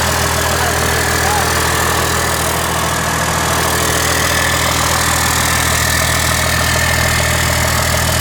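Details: Chevy truck with swapped Cummins diesel (NV4500/NP205), running in the shop after clutch hydraulics were done, no tach or exhaust yet, alternator not charging: even, steady diesel clatter at idle with no knocks, misses or surging; normal idle.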